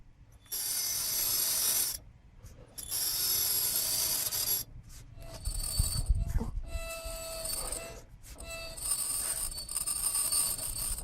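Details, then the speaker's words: Front brake pad wear-indicator tab on a 2000 Honda Accord rubbing the disc: high, scratchy metallic squeal in bursts as the wheel turns, because the pads have worn down to the metal clip and need replacing. "can hear it you can hear the little metal tab touching the the disc this is what what's touching the disc this this metal like a clip"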